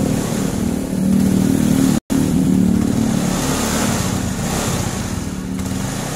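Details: Yamaha carbureted small motorcycle (Mio/Fino/Jupiter Z/Vega ZR type) after ignition system checks of stator, regulator, CDI and coil for lost spark: idles and revs with steady, even note and a brief cut-out; fires cleanly and runs normally.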